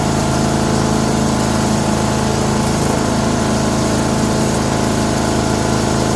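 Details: Older 5 hp Briggs & Stratton single on an abandoned chipper, revived with Deep Creep on the valves. Running with the air cleaner refitted after a restart on a little choke: a steady, even beat with no misses or knocks, settled. Normal running.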